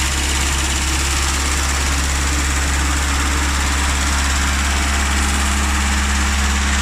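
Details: Classic Rover Mini with points ignition, started after sitting three months: loud, steady low idle with even firing beat and no knocks or misses; healthy idle, best kept running at least 30 minutes afterward.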